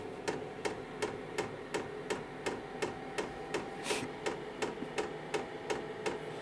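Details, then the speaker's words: KROAK TB2 8 kW 12 V diesel heater at startup, fan slowly ramping up: crisp, evenly spaced clicks about three per second over soft fan hum, audible but not felt as the heater is decoupled; normal dosing pump ticking. "Wenn ich das Gerät anfasse, muss ich aber sagen, ich merke, dass die Heizung, die Standheizung doch entkoppelt ist. Zumindest fühlt es sich so an, denn das Klackern ist zu hören, aber man spürt es nicht."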